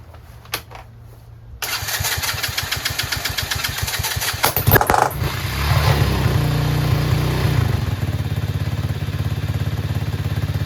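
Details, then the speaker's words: Chinese 125cc ATV quad with intermittent spark loss: cranks, catches briefly and revs, then weak repeated cranking that won't fire; restarts after sitting. Owner suspects CDI, kill wire or ignition switch. "it just goes away spark just disappears and then I can't start it again but if I let it sit for a little bit it'll start again"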